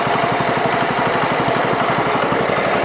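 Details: John Deere 110 after carburetor work that found a plugged vent; single-cylinder engine runs a steady even beat of about four pulses a second with no misses or surging; normal running.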